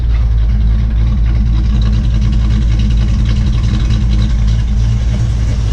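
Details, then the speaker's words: Rebuilt Ford 289 V8, first start after a head job, with a fuel leak at the pump-to-regulator fitting fixed: steady, even low rumble at idle, no knocks or misses, timing still to be set; normal idle. "so far I'm happy I'm happy it started up it seems to run good nice and smooth so I'll get this tightened up and then we'll do the timing"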